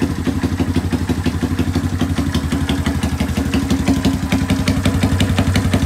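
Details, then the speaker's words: Rare single-cylinder motorcycle revived after the valve timing was set at TDC, with compression good and the spark plug fitted: steady, even putter at about three beats a second with no misses or knocks. Clean, healthy idle. "guys jadi UN motor ini udah berhasil hiup jadi seperti inilah suaranya dia"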